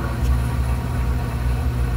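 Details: Heath/Zenith Secure 360 video doorbell wired to the old mechanical chime on a hollow interior wall; constant low electrical hum: chime solenoid buzzing at about 1.7 to 1.8 volts, fixed by a 10 ohm resistor dropping it to 0.8 volts.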